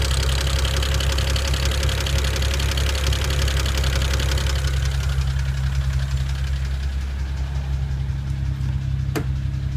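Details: 2009 BMW 335i N54 petrol engine idling: very loud, sharp, rapid ticking that grows with revs and persists when warm; began after JB4 firmware update, not typical direct-injector noise.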